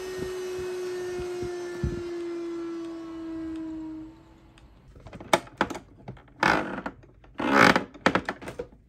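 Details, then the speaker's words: Dyson Pure Cool Me BP01 fan/purifier: steady buzzy whistle, louder at higher speeds, absent with the filter removed; caused by a dirty seal between filter and case, fixed by cleaning and reseating the gasket. "There is a whistling noise It gets louder with higher speeds"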